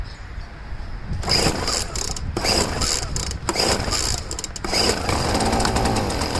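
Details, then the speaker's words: Poulan two-stroke leaf blower, first start after five months of dry storage: high buzz surging and cutting out in bursts before settling; lean running, cured by richening the outer high-speed mixture screw, needed every year. "And what I had to do is I richened up the, which I have to do every year for some reason. I had to richen up the high-speed mixture screw."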